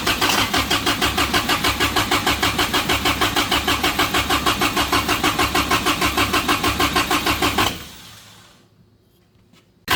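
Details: Samurai rock crawler on a new propane kit: steady cranking about three turns a second for nearly eight seconds, no catch, then silence; missing intake plug from propane fitting install leaked vacuum.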